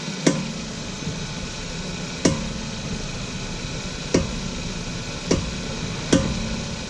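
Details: VW Golf 6 after new Brembo OEM brake pads and discs: sharp irregular single clunks about two seconds apart when braking, especially in reverse; cause not found, owner unsure whether brake pad retainers would fix it.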